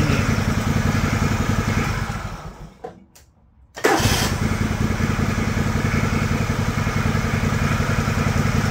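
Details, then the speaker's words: John Deere LX178 mower engine with new $22 replacement carburetor, idle speed screw at its stop: steady low even thump, dips briefly when throttle blipped down, then smooth and very quiet; normal idle. "idle speed adjustment just hits the stop there is that the smoothest quietest running Small Engine you've ever heard in your life that way impressive Eng"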